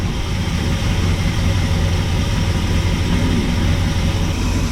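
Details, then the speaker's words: 1974 Ford F100 390FE big-block V8 with timing at about 10° and fuel pressure about 4.5 psi: low, heavy, slightly lumpy idle that still seems extremely rich, cause unknown. A clogged, wet breather element was later suspected. "still just seems extremely rich to me I don't know why"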